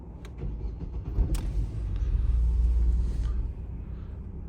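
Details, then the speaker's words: Opel Astra H Z16XEP that stalled when hot, after its new engine ECU was programmed to the immobilizer: it starts and settles into a steady low rumble with no stumble or knock; it is running normally with no fault codes. "Як бачите все заводиться все працює все чудово"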